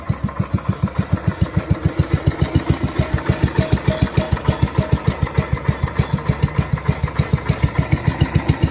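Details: Even, steady single-cylinder thumping at a fast idle on a 1971 John Deere 110 after replacing crank seals for an oil leak, about three or four beats a second, no knocks or misses; running normally.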